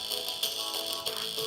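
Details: 1998 iMac G3 internal speakers with disintegrated foam surrounds playing music from iTunes: harsh, buzzy crashing rattle on the beats from the cone flapping loose; blown speakers from speaker foam rot, to be replaced.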